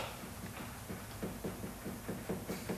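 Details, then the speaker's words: Jaguar S-Type on a hoist: quick hollow clacks, three or four a second, as a worn, loose sway bar link is rocked by hand; rattle amplified over bumps and potholes, usually worn out by potholes. "so you you can hear and tell it's loose um and that is Amplified you know tenfold when you're hitting bmps and potholes um on the roads"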